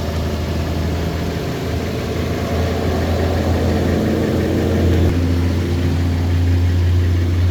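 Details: 2021 Toyota Tundra 4x4 lifted, pre-purchase inspection: steady, even low rumble with smooth beat, no ticking or knocking; engine sounds good, healthy warm idle.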